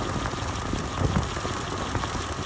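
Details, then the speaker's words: 1993 Lexus LS 400, intermittent hard misfire after DIY ignition tune-up: rough running with constant crackling, snapping patter as a worn spark plug wire, when pressed, arcs to a metal antifreeze line. "so you press on it it arcs over to this uh what is that a power that's a I guess that's a coolant line"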